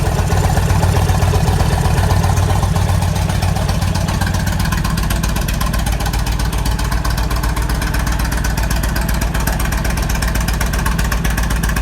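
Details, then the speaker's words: 1998 Kawasaki Vulcan 1500 Classic V-twin, cold start after sitting a couple of days at about 50°F: steady deep lumpy idle, earlier rattle completely gone after repair with new case bearing and needle bearing. Normal cold idle. "cold start i haven't run in a couple days it's not too cold in ohio probably about 50 degrees [Music] so you can hear that rattle in there completely gone"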